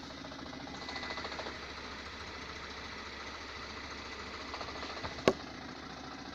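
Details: 2017 Lada Granta, 15,000 km, shook and lit check engine when pulling away in reverse: faint rapid steady knocking in gearbox, disappears with clutch pressed while engine still shakes; gearbox knock, cause unknown.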